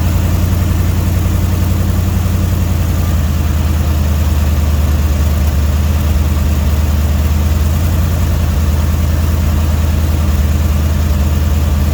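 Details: Dodge 318 V8, budget rebuild, reinstalled after a broken flex plate was replaced and cam and lifters inspected; oil pressure 60 psi, temperature 175–180°F: a smooth, even low rumble at steady idle, no knocks or ticks, pitch holding level; healthy.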